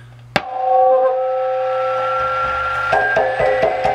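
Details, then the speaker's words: Sparton 931 tube radio after recapping: sharp tap sets off a steady microphonic ringing tone, further taps jolt the pitch; won't tune below about 850 and oscillates depending on volume, possibly due to new caps near the coils. "can hear the microphonic whenever something touches it dead silent when they got the volume up all the way"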